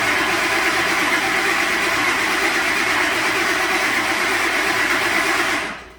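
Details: 2006 Ford F250 5.4 after bodywork, no codes; spark, fuel pressure (54 psi static) and compression on number 1 confirmed: steady starter churn about three uneven pulses a second, never fires; crank no-start, timing suspected.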